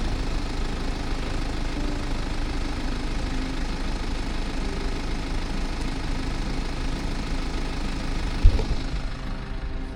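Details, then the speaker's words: BMW G21 owned one year with over 20,000 km, stationary at idle outdoors with wind turbines nearby: quiet, even diesel idle with a steady low hum and no knocks or misses. Normal, healthy idle. "Słuchajcie, tak ten samochód chodzi, no po prostu na postoju. Nie mogę mieć długo włączonego silnika, bo jak wiecie jest to zabronione, ale tak to wygląda i tak po prostu ten samochód pracuje na postoju."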